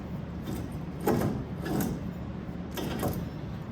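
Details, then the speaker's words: 2006 Chevy Silverado right front wheel hub, turned by hand: uneven gritty scrapes and clunks from a disintegrating wheel bearing with its cage torn up. "you can hear it. That's rare that you can actually hear it on camera, but it's got the cage tore up pretty good."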